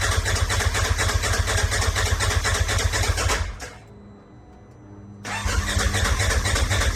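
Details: Turbo S buggy with a big turbo, head studs and new injectors, fuel pump now pumping: rhythmic cranking at about two turns a second, a pause, then more cranking; never catches. Owner suspects a miscalculated injector table from assuming the wrong injector size.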